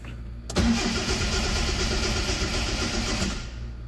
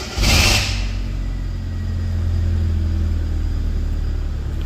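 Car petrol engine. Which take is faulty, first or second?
first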